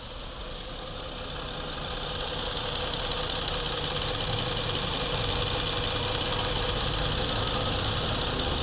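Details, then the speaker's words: Ford Explorer 3.5 V6 first start after top overhaul (water pump, overheating history), engine rebuilt and running: quiet, smooth, steady idle hum with even hiss, no knocks or ticks; no white residue under oil cap; normal idle. "So ito po siya, tahimik naman ang andar nito at maayos, wala po siyang problema."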